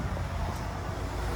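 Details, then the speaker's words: 1994 Ford F-250 4.9L inline-six 5-speed in gear at full throttle: low flat rumble that never gains revs and sags toward stalling, though it starts and idles fine; bogging, solved by replacing PCM and fuel pump. "it's just dying. Let you hear it a little better. So yeah, that was foot to the floor. I mean, it didn't want to do anything."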